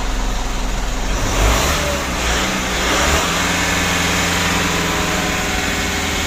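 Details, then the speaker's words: Mitsubishi Pajero Sport Dakar, about 2012, diesel, after removing, cleaning and refitting the turbo that caused a rough rattling noise: revs up and settles into a smooth roar with no turbo rattle or chatter; turbo noise fixed. "mungkin untuk suara turbonya sudah tidak Berisik lagi ya gitu Yang Lalu kalau dikasih itu suaranya kemrecek gitu loh di turbonya ya Jadi untuk suara turunnya sudah bagus sekali"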